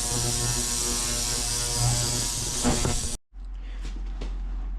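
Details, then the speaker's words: Steady buzzing hum with a fine hiss from an ultrasonic cleaner about 30 seconds into dissolving dirt off parts from a 1980 Kawasaki KE100 that sat at least 10 years: the cleaner is running normally. "It's just starting to dissolve all that dirt. It's just And it's only been in there for about 30 seconds. It is just This ultrasonic stuff is really, really, really impressive."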